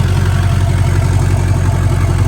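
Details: LBZ Duramax diesel drag truck with an S400 single-turbo swap kit, newly built and running: even, steady diesel clatter at idle with a smooth, regular low beat and no misses or knocks; healthy normal idle.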